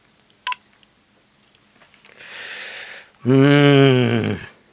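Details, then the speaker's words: Oric-1 speaker after resoldering: steady buzzy note with no rattle. The diaphragm had been rattling before the fix. "again listen to how much better that note is now I think before as the diaphragm was moving it was just just sort of rattling against that"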